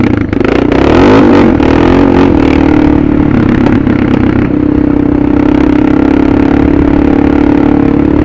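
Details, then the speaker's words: Suzuki DR650 with a Procycle jet kit (150 main jet), DGV2 slip-on and stock header, in 3rd gear on barely any throttle. A steady drone with a few sharp pops as the throttle closes: deceleration popping, with the PAIR valve not yet removed. "Still a little diesel popping, but I haven't took out that pair valve yet."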